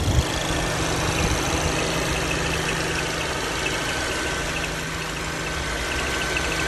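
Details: 2018 VW GTI Mk7.5 at idle: a faint, fast, high-pitched chirp riding above a steady engine note. The source of the chirp is unknown.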